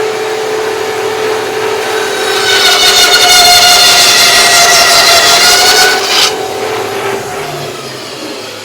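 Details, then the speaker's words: Harbor Freight bandsaw upgraded to a Leeson 1 hp 1725 rpm motor, pulleys set on the smallest top and biggest bottom wheel for the fastest speed: motor and blade spin up to a smooth, high, even whine and hold steady; healthy. "all right so that is definitely the fastest just by sound you can hear it just being faster"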